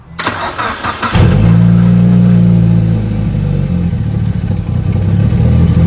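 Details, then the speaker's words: Evo 8, first start at night after rebuild following piston/cylinder wall damage, water in place of coolant: quick crank and catch, then a steady, even low idle with smooth burble and no knocks or misses; no leaks after 15 minutes. "honestly she's actually running really good right now at Ido at least though but damn she sounds healthy again I am pumped guys let's go"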